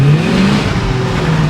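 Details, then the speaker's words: 1966 Ford Country Sedan wagon after swapping in a C6 transmission to replace the Cruise-O-Matic: revs flare with no pickup as if in neutral, then it engages second, then third; flare before upshift; new vacuum modulator made no change. "So it was in neutral, you heard it rev up, and then it changed its mind. I had enough speed, it went to second after when I let off a little bit, and then it went to third. That's the issue I'm having."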